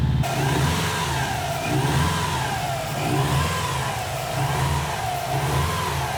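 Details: Subaru with freshly rebuilt STI EJ20 short block, first start after reinstall, warming up to check fan cycling: boxer holds a fast warm-up idle with gentle rises and falls in revs, smooth and even with no knocks or ticks.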